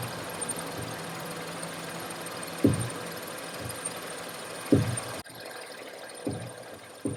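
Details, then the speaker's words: Lincoln MKZ: dull single bangs every couple of seconds as the steering wheel is turned, caused by a worn front strut mount whose bearing is completely shot. "Every time I turn the steering, you hear like a bang bang noise. Okay, so the problem here is, I'm gonna show you guys. Okay, so the problem here is strut mount."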